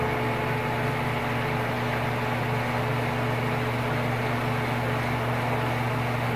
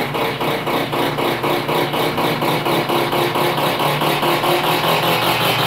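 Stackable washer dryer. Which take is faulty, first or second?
second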